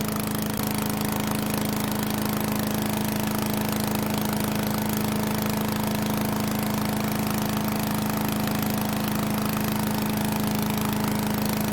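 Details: Troy-Bilt 24A-414B711 shredder chipper after new carburetor fuel-line fitting, oil change and oiled recoil, test run: steady even engine drone; clanging at idle is from centrifugal shredding blades, normal.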